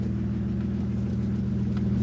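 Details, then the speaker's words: BMW E85 Z4 roadster, stock engine, after new fuel pump install, idling after an initial rough misfire cleared: low even idle rumble, steady beat, no misses, knocks or ticks; running smoothly. "There we go. She's running pretty good though, chat."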